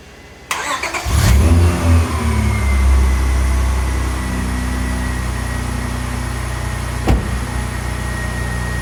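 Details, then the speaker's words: 2001 Honda Accord jump-started from another vehicle; brief strong crank, fires right up to steady even idle, voltage dipping only to 11 V, running at 14.5 V. "we can see our car fired right up the voltage only dropped to uh 11 volts while we tried to start it"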